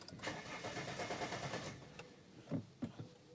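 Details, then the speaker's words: Vauxhall Meriva diesel after refilling fuel filter: short starter cranking burst dies abruptly leaving scattered clicks; battery terminal clamp not tight enough keeps disconnecting. "The battery keeps disconnecting. This is a really odd little fault with this car. This doesn't clamp quite tight enough, and sometimes it kind of forgets that it's connected."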